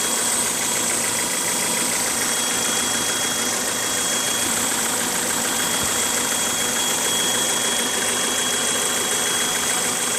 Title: 1998 Honda CRV high pitched noise at idle